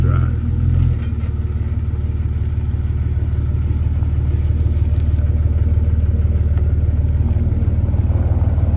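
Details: 2004 Jeep Grand Cherokee 4.0 inline-six with THOR cold air intake, running after a new Flowmaster muffler and tailpipe replaced the rusted-off tailpipe: deep, steady rumble with an even pulse, no knocks or misses; normal exhaust note.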